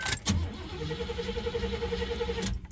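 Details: Oldsmobile after intake manifold update, starter already damaged: two seconds of steady cranking with no firing; fires a couple times with pumped gas, owner suspects insufficient fuel to carb and plans fuel pump replacement.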